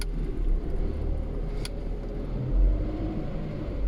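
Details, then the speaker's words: Lada Priora gearbox after repair of broken final-drive gear teeth, on lift, cold engine with new oil, third gear: smooth steady low rumble, earlier knocking gone, gearbox healthy. "того звука нет на 4 нет того звука нет то что вот зубья были поломаны вот этого весь звуки шел все теперь все отличное"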